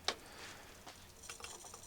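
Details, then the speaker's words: Sanyo VCR-6100 Betacord Beta VCR, long unused, struggling to power up: faint irregular ticks and crackles of electrical arcing from a bad connection, dirty switches suspected, owner thinks the timer switch rather than the power switch. "still have a bad connection somewhere it's arcing these switches are dirty it's having troubles powering up there's an arc somewhere you can hear it"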